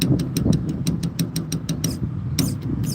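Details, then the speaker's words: Ford Aerostar replacement fuel pump jumped directly from the battery, which at first seemed dead: it wakes up with quick, fairly regular ticking about three per second over a low hum; fuel pump running. "There it goes. All right, we woke it up. We woke it up."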